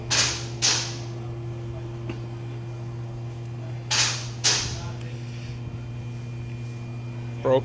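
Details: 1999 Honda Civic at idle: a low engine hum broken by sharp irregular pops, a rough idle from a broken camshaft.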